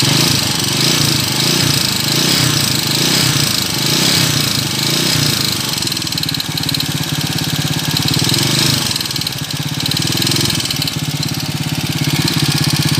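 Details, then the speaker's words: Honda TMX125 Kaliskis single converted to 200cc, back two weeks later with noisy engine: steady running with light fast ticking over the exhaust note; loose valve clearance, to be readjusted. "So ngayon bumalik siya dahil malagitik na yung kanyang makina. Okay, so ngayon ang gagawin natin dito ay i-readjust lang natin yung kanyang valve clearance."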